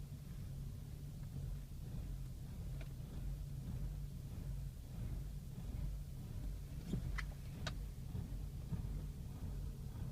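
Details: BMW E60 rough idle, no check engine or other lights, occurring once every 200-300 miles on highway or parked, normal after a couple minutes off; uneven wavering idle beat with occasional stumbles; dealers cannot find cause.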